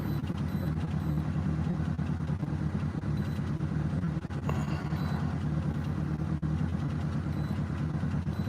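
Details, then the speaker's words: 2007 Honda Civic 1.7 L, warm, still running bad after repair attempt: uneven idle with irregular stumble and dips; misfire on cylinders 3 and 4, suspected two bad ignition coils, large short-term fuel trim correction, possibly valve adjustment. "I don't want to read the live data on here, but still running bad, so you need to give it some time to do its thing."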